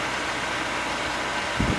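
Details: Pentair Clean & Clear pool filter running after a cartridge change: smooth, even rushing hum with steady water flow and no rattles, surging or squeal. Pressure dropped from 30-35 to the recommended 17 PSI with no leaks at the belly band; normal running.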